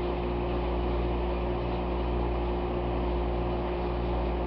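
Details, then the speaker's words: McQuay geothermal water source heat pump with scroll compressor running after startup; low, steady 60 Hz electrical hum with even drone, no knocking, felt carrying through the wall woodwork at the door. "but with my hand on the wall I can feel right here at the door I feel the 60 cycled hum coming through the uh woodwork"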